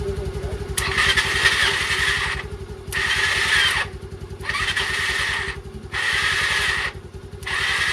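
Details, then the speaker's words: Old Bajaj Pulsar being restored, jump-started from a scooter battery after fitting the correct fuse; starter gives a smooth high whir in short bursts with no engine rotation, and the starter is suspected of not engaging properly. "आवाज ना बिल्कुल देखो एकदम smooth सी है ना तो मुझे लग रहा है कि स्टार्टर ढंग से एंगेज नहीं हो पा रहा अपनी मैगनेट के साथ"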